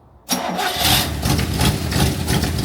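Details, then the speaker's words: 1965 Chevrolet C10, 283 small-block V8, after converting from points to HEI: quick crank, catches right away and settles into a steady, even idle with no stumble or miss; starts and runs well. "Um, but it's um it starts. Let me let me crank it up real quick. I'm liking it. Like it a lot."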